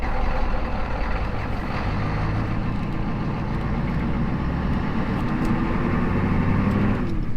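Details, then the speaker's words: 1984 Ford F-250 diesel farm truck with 40 years of towing, test-driven after repairs. Steady low diesel drone with road rumble and no knock or whine; the earlier noise is gone. "I think we're good. I didn't hear that noise, so I think that's good."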